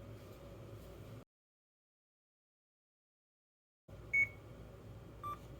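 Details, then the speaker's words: CADD infusion pump: two short two-tone electronic beeps in a quiet room, the alarm accompanying battery low, replace battery, battery depleted or pump stopped messages; fixed by installing batteries correctly or fitting new ones; low battery alarm. "You will also hear two-tone beeps. Either installing the batteries correctly or replacing them with new batteries will fix these problems."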